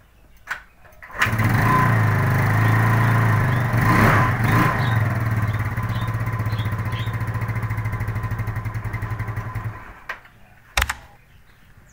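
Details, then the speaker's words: Normal Yamaha Mio used as a reference bike, kick-started to test its CDI: fires on one kick and idles evenly before shutdown; easy start confirms this CDI works, for swapping into the owner's bike that won't start when hot. "udah pasti CD-nya nyala, soalnya engkol-engkolannya gampang ya."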